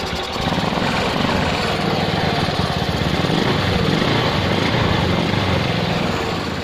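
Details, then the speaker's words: Carbureted Honda Beat scooter with hard electric starting despite a normal battery; after fixing the seized starter motor, engine fires on the button and settles into a steady, even, fast idle; running normally. "kita coba starter ya nyala kita coba starter dan berhasil sudah nyala ya"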